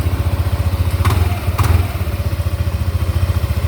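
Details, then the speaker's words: Yamaha NMAX v1 scooter after replacing a damaged rocker arm that caused ticking; camshaft only lightly marked and still usable: even low putter at idle, no top-end ticking; quiet again and idling clean. "Yun o, tahimik na ulit. Gastos nga lang, sira yung rocker"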